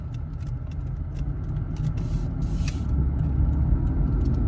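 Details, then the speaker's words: Car with a worn wheel bearing, driven almost 2,000 miles while bad, pulling away from 0 to 20 mph in a speed test; a low, rough rumble builds as it accelerates. "so I'm about to show you guys how bad wheel bearing sounds like I'm going to go four different speeds I'm going to go 0 to 20 20 to 40 40 to 60 and then decelerate on top of that as well too"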